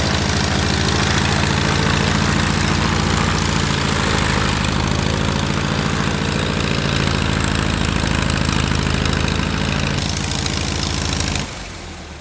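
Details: Kit plane engine after 14 years idle, restarted with electric fuel pump on while checking mechanical pump: runs up steadily with even firing beat, no misses or knocks, then cuts off cleanly; normal run-up.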